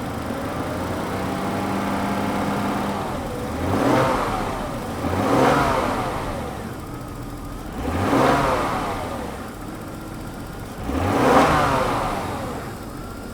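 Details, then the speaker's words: Daimler XJ40 that broke down on the highway, still ice cold: four quick blips climb cleanly and drop back to steady idle without stumbling; no sign of losing fuel pressure. "it's running pretty nice and smoothly still ice cold but it's running pretty well let's rub it up a bit it's definitely not falling on his face or anything like running out of fuel pressure"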